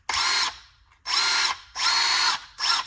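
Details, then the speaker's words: Used drill, owner finds it underpowered and grinding at the centre: several short runs at the same high whir with no step up in speed between settings one and two; drill speed not changing between gear settings. "it just doesn't it doesn't seem like it spin any faster on one or two"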